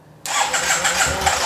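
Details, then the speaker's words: Yamaha TMAX before fuel pump replacement: engine catches after cranking and runs briefly, slightly uneven; it dies quickly, especially with a lot of throttle; owner suspects the fuel pump, though the pump runs. "It cranks a little bit. Sometimes it idles, but it dies quickly."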